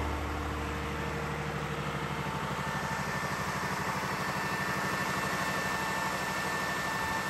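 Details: Old air-cooled Lister diesel backup generator, 109.5 HP, at its monthly check start: a loud, steady diesel thump at about three beats a second with fan roar, over 90 dB, even throughout. Normal running.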